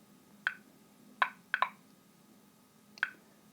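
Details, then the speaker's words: RM-2 geological radiometer, one of two run together on a homemade 225 V high-voltage battery: sparse, irregular sharp clicks, five or six in a few seconds, in a quiet room; normal background counting, the two units' clicks sound different. "Стереозвук от двух приборов просто прекрасен. Однако вы обратили внимание, что щелчки первого и второго м сильно отличаются на слух, поэтому давайте сравним радиометры."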